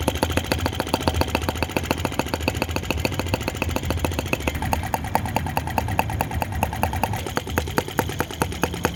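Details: OKMO T16B Lanz-type brass half-tracked model tractor, outdoors, blowing smoke rings at scale speed: small single-cylinder putting along slowly and evenly, a light pop about twice a second; normal, healthy, relaxed idle.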